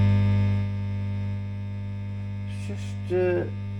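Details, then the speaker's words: Fender Blues Deluxe-type guitar amp in for a broken standby switch: loud, steady low mains hum with a constant buzzy edge, worse after cutting out briefly; filter capacitors checked and ruled out, ground loop suspected somewhere. "I've just checked the capacitors just put this across each one of them and it ain't any of the Caps oh it's a Grand Loop wow yeah it's a ground Loop somewhere"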